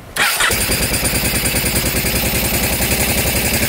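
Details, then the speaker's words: Barn-find minibike's small engine, sat 20-25 years, after installing a new carburetor diaphragm with the correct jet, replacing a homemade brass part: starts quickly and settles into a fast steady putter; idle no longer bouncing up and down, returns right down. "No more bouncing up and down. Perfect. Comes right down."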